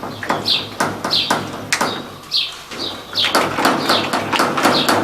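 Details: Electrolux LT15F washing machine during spin: sharp high chirping squeak about twice a second each time the tub rocks, from the suspension rods, mainly the rear one; an earlier fix attempt failed.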